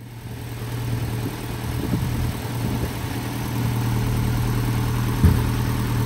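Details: Land Rover Series 3 short-wheelbase 2.25 petrol after valve stem seal replacement and valve overhaul: steady low idle with a soft even beat that slowly firms up and one brief bump near the end; runs smoothly.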